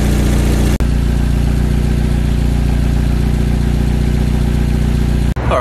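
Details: Corolla with a rebuilt 4AGE distributor just installed, timing being set to 10 degrees: steady, even idle with a constant low hum and no misses or knocks; normal idle.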